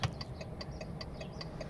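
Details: VW Touareg 7L 2.5 TDI R5 with LED indicator bulbs, side without a load resistor fitted: quick dry relay ticks, about five a second over a quiet idle; hyperflash bulb-out error, cured by fitting a resistor.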